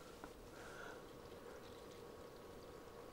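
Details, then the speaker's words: Water-cooled EVGA-based PC over 10 years old, first start after more than six years unused: quiet even trickle and gurgle of coolant under faint fan hiss; pump circulating normally. "so as you can see the fans are spinning that one there which is not even ped down then now there's water running"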